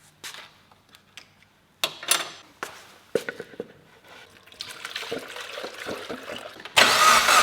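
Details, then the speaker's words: Mitsubishi Evolution with brand-new engine, starting before its first drive: clicks and handling noise, then the engine catches and settles into a steady, even, remarkably quiet run with no knocking. "This is ridiculous. How is a car this quiet? An EVO?"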